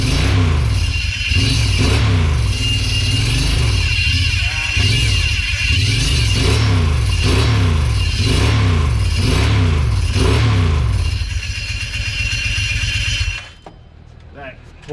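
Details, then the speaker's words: 2008 Kawasaki Brute Force 750, first start after an engine rebuild, warming up: it revs up and down with a tinny clatter on each rev. A loose metal plate is rattling. "plate is gonna drive me crazy sorry guys but it runs we got a little heat in the motor"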